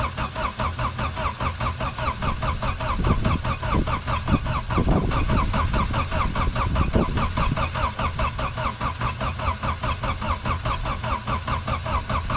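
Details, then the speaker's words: Diesel in winter, cold start after repeated glow-plug heating: even starter cranking throughout, engine never fires or catches; no signs of life, owner expects it won't start; cranking, no start. "Nu, ziniet, man liekas, es viņu neiedarbināšu. Kas pa troksni? Bez dzīves pazīmēm."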